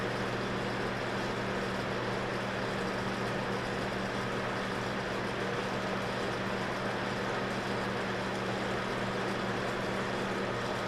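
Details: Zeco fryer oil filtration machine, pump backflushing and priming the paper filter before draining fryer: steady low motor hum at one even pitch, no gurgling, surging or strain; normal pump operation.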